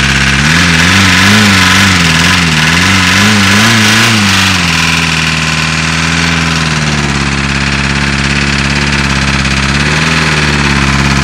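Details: VW Caddy diesel, hard cold start: lumpy, uneven idle with a regular stumble about three times a second; one cylinder not firing, running on 3. Owner suspects a valve problem as no oil is seen; unconfirmed.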